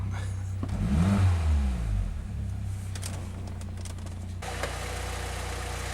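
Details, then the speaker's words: 2006 Saab 9-3 idling on ramps after an oil change: a quick blip, then a low, even, steady idle with no knocks or misses. Normal healthy idle. "so once i started it sounds good to me of course it's you know still on the ramps"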